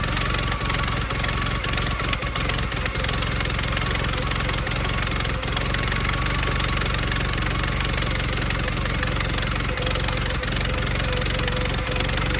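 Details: 1914 Buick, about 1,776 original miles, restarted on premium fuel after sitting roughly 85 years: slow, even chuffing idle with a steady beat, no stumbling or clatter, running well; coolant is being expelled and the cooling system still needs work.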